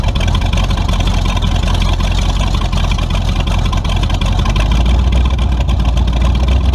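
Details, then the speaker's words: Tunnel-ram 350 V8 with two Edelbrock 600 cfm carburetors (1405/1406), after fixing the vacuum leak and adjusting the metering rods: loud lumpy rumble still bogs and stumbles instead of picking up cleanly. "fixing the vacuum leak didn't solve my problem neither did adjusting my metering rods still got a pretty good stumble to it so back to the drawing board"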